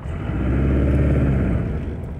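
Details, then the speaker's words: Cold engine on IDF carburetors, rich-smelling, after testing to remove hesitation, shifted into reverse: it revs up smoothly and falls back with no stumble, pop or hesitation. Clean throttle response. "ठीक है तो जैसे मुझे reverse में डालने दें engine ठंडा है ठीक है भयानक कोई हिचकिचाहट नहीं कुछ भी आगे नहीं जा रहा है"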